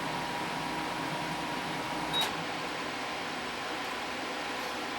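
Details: DeLonghi Pinguino PAC N120EC 12,000 BTU portable air conditioner in fan-only mode: soft, even fan rush with a faint steady hum, no compressor drone or rattle; unit running quietly as it should.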